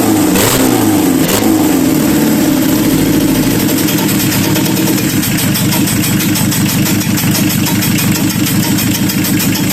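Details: Renault Kangoo 1.9 diesel running after engine repair; loud steady run with an early rev blip, then even clatter; sounds healthy; normal running.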